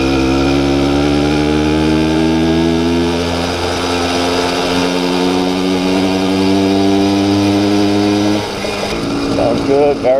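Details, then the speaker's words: Yd100 two-stroke bike engine on a 78 main jet after trying 82 and 80, needle unchanged: steady buzzy note, pitch climbing then easing cleanly, crisp throttle response; running smoothly. "crisp response on the throttle 78 jet um needle is still the same"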